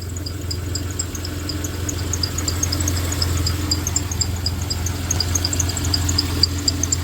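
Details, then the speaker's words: 1993 Dodge Caravan at idle after head gasket repair: high rapid chirping squeak about four times a second; belt suspected riding funny on the tensioner, new belt, tensioner and idler planned. "Who's squeaking? I think it's that tensioner. It's riding kind of funny on the tensioner."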